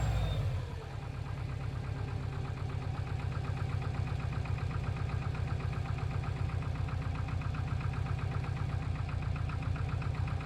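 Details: Subaru Impreza WRX GC8, EJ20G turbo boxer, at steady idle with a rapid, fairly regular knock near four per second. Driven this way for three years; others blame forged pistons, the owner suspects a connecting rod. Cause unconfirmed.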